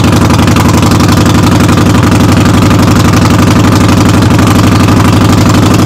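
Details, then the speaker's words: Harley-Davidson Sportster V-twin in neutral, rear wheel raised, running during brake switch repair: loud, fast, even rattle about four beats a second over heavy idle, "rattles like a freight train"; cause unknown. "well this thing kind of rattles like a freight train when it's running so you're gonna have to excuse that noise"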